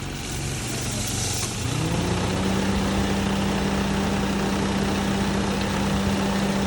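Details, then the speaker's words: Perodua Myvi engine at idle: steady squeaking tone riding on engine speed, said to occur when driving cold or in the rain; worn or loose drive belt slipping. "Oke Jones ada dapat kena pasien bunyi belting yang berlaku Pakde injen suatu pemanduan qt dalam keadaan sejuk ataupun mandong hujan"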